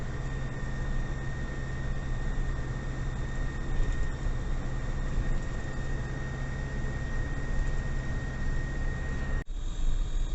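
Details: GAZ Gazon Next diesel truck driving in the city: a thin, steady, high whistle holds its pitch over the diesel drone. The sound appeared recently, the owner suspects the turbo, source unconfirmed; truck is under warranty.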